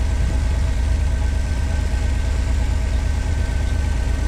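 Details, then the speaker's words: 1986 Pontiac Fiero SE V6, automatic, near operating temperature: idle still at 1,050 rpm, too high, with a steady, fast, busy idle and no misfire or knock. Owner suspects vacuum leak, idle control or sensor issue. "Yeah, it's too high. I think by now it would have come down. It's at 1,050."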